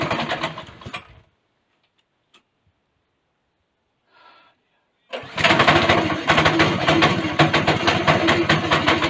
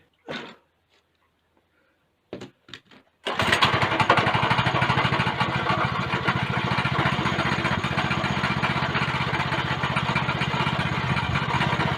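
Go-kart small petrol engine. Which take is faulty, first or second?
second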